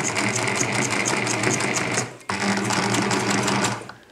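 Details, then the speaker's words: Sewing machine "Nelly" running on its new working foot pedal: fast, even stitching at about three to four strokes a second, each stroke carrying a thin high squeak whose source isn't clear. "if you can hear the little squeaky sound coming from here"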